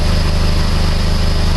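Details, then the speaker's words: PT Cruiser 2.4 petrol engine after used cylinder head installation, warm after 15-20 minutes running: smooth even idle with a steady low pulse, no misfire or whine; separate exhaust leak at a broken clamp noted. "You see, everything sounds good. There's no whining. No missing. Everything's nice and smooth."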